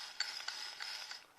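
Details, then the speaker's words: 4L80E transmission (rear-lube style, newly bought parts) from Volvo 240 LS2 project, part turned by hand on the bench: dry, irregular high-pitched clicking and scraping like a catching ratchet; something broken inside. "Something's broken in there."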